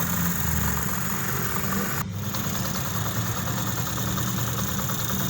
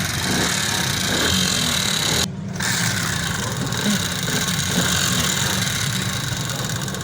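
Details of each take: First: 2023 Honda CD 70 single-cylinder after head rebuild with new parts to cure persistent tappet noise; steady idle with even low putter, no top-end tapping, oil reaching the head, smooth and healthy. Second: Honda CD 70 motorcycle, 2022 model, at idle before head and cylinder teardown: loose, uneven tapping about four times a second, valve train clatter that persists after tappet adjustment, attributed to a worn camshaft.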